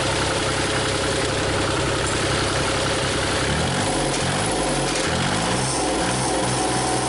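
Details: Used Cummins diesel swapped into a Komatsu PC40 excavator, thermostat fitted, running about 180° without overheating, injectors still weeping: steady, even low rumble and settled idle rhythm, no knocks or misses; healthy.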